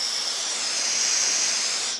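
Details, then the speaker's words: Land Rover 300Tdi clutch/brake master cylinder tower being overhauled, pedal in upright position: a steady, even hiss of air blown straight through for two seconds, so the return port is clear and fluid can reach the reservoir. "all right so you can blow through it that's good that means fluid can get back into the reservoir"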